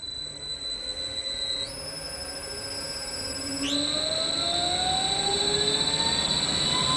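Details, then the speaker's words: 3-phase 7.5HP (5.5kW) regenerative ring blower CNC vacuum pump on a 10HP VFD: smooth clean whine climbing in steps as the drive ramps up, no rattles or rubbing; running normally. "p7 oh actually that sounds a lot better now yeah I think we're good that is acceptable"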